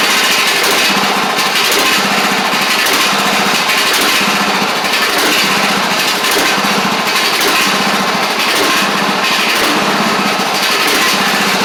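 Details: Craftsman DYT4000 riding mower after sitting about 2.5 years, started with only fresh gas and a little choke (choke was stuck): single-cylinder engine holds a steady even run, no knocks or misses; sounds good. Normal running.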